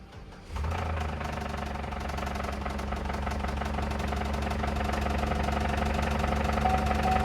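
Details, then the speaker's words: Auction car with 177 on the odometer, power on the dash and oil in the engine: it catches and idles with a hard, even knock about four times a second, suspected rod knock and a blown motor, so it becomes a parts car. "oh yeah she's knocking so it's a parts car"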